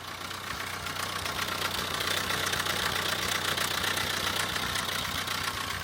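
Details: Vauxhall Corsa diesel idling: light, fast metallic rattle without letting up; oil just below minimum, codes for oil pressure control solenoid stuck and oil life exceeded; suggests worn, slack timing chain starved of oil.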